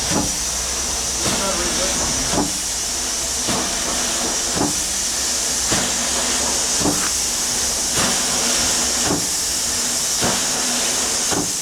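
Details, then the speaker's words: 1895 Bates Corliss steam engine, 14" bore x 36" stroke, 10 ft 9000 lb flywheel, first start in 80+ years on about 50 psi: slow chuffs with sharp knock each stroke about once a second; rod bearing needing adjustment. "shut it down again try to readjust it bearing all right now 100 years old well that's just some minor adjustment down on that rod"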